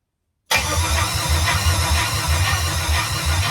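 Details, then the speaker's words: C10 with an LS swap, first start attempt after the fuel system install, with the fuel pump primed: steady starter cranking with even low pulses but it never fires; the owner suspects something isn't getting power. "starter sounds rough let's go ahead and check some stuff out well i guess i'm going to start cut the multimeter out and i'm kind of thinking that you know our science in here it's not getting powered where it needs to be"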